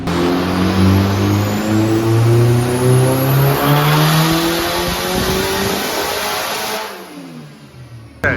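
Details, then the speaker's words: K-swapped Nissan S14 with a built K-series engine on the dyno, third pull with used ignition coils: pulls hard, then turns rough and choppy near the top under load; still breaking up, about 150 whp down. "the car is still breaking up but i want to show you the dino poles"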